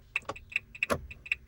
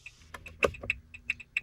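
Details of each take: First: 2017 Renault Master van: indicator clicking noticeably faster than the normal rate, steady quick ticks; hyperflash heard for about a month, usually meaning a bulb is gone. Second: 2017 Renault Master van: light indicator ticking in an even on-off pattern, a bit under two clicks per second; normal flash speed, heard before the fast hyperflash.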